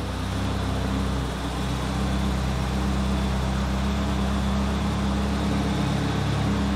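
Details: Nissan 200SX turbo idling after a walnut left by squirrels was removed from the turbo; running in limp mode with no map hooked up. Smooth steady low hum with no rattle or whistle; the turbo now runs much quieter.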